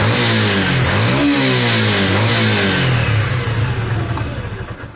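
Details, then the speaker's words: Sinnis SC125 single-cylinder bike after a performance carburettor installation, idle just reset low: blips up and settles cleanly, pitch rising and falling smoothly with no stumble or hesitation; normal revving, runs much better. "so far it seems like that's it guys it's all buttons back up i'm very happy with the outcome on this one and the performance card seems much better"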